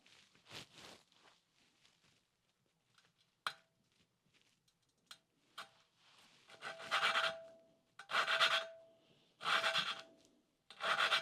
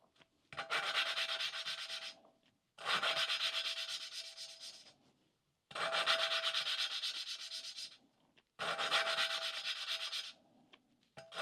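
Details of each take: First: 1988 Suzuki GSX-R1100 valve lapping, separate mic: harsh rasping grind in regular strokes as the oiled valve is turned on its seat, not yet mated; should smooth out and go quiet. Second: 1988 Suzuki GSX-R1100 valve lapping with oil on valve: even, hissing rubbing strokes with faint ring, grinding smoothing out as the valve seats.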